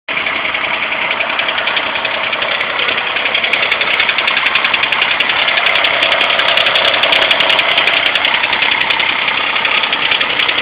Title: 2001 gt misfiring cold start